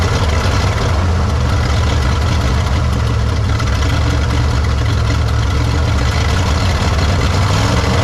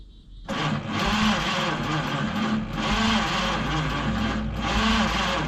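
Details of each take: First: 1953 Studebaker Starliner, off the road possibly 45 years, odometer 38,360 miles, first start after new 6 V solenoid and distilled water added: low, steady, fairly even idle, no knocks, misses or water leaks; still needs plugs, wires, points, carburetor kit. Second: 1953 Studebaker Starliner, possibly off road 45 years, 38,360 or 138,360 miles, old plugs, wires, points, 6-volt, factory wiring bypassed with hot wire to coil: starter churns slowly, cranks but no start; erratic spark, owner suspects dirty points.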